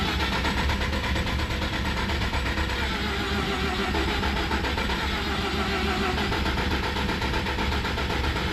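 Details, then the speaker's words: Freshly rebuilt Mazda RX7 FC 13B NA rotary, first start, idle opened fully: uneven, ragged lumpy exhaust note with wavering revs, struggling to hold idle, then won't restart. "All right. Well, it won't turn back on."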